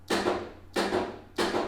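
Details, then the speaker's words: Old Hyundai Dynasty trunk release after feeding constant power from the fuse block past a faulty wiring block: three crisp solid clunks with no drag or buzz; trunk release solenoid working normally. "요렇게 작동을 하는 거죠 자 이렇게 굉장히 아름답게 작업을 잘하죠"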